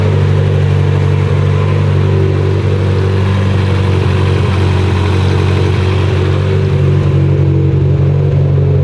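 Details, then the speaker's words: Mitsubishi Evo X (friend's build), first start, new dual-muffler exhaust, throttle pedal stuck down at start; loud steady drone with strong low hum, no misses or knocks, holding speed evenly; motor healthy, oil pressure fine, normal running. "but we're good to go motor's healthy motor's fine oil pressure is fine"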